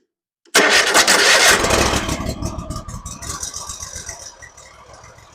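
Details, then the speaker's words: Hustler zero-turn mower bought broken, first start with the solenoid jumped by screwdriver and choke on: cranks briefly, then catches at once and settles into a steady, even idle; engine is fine and the solenoid needs replacing. "wow it just started right up that was the first start okay well now I know that the engine works so sounds like it just needs a new selenoid"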